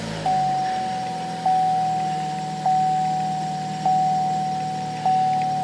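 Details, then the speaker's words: 2015 Chevy Cruze 1.8 petrol after fixing a misfire (P0301) by securing the coil pack connector with a cable tie. It idles smoothly and evenly with no stumble; the chime is the seatbelt warning. "Well, there you go right there. Everything's fixed."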